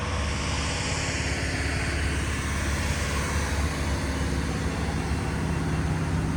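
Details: Diesel-powered fire sprinkler pump on its weekly half-hour test with the isolation valve closed: a steady, even diesel drone with a deep low rumble and no knocks or misses; the engine is healthy under test.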